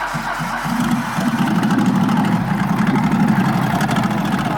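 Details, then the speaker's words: Nissan GT-R with oil in the exhaust and turbo suspected: uneven, lumpy idle with an irregular stumble about four times a second; misfire. "it's not running right i feel like it might be"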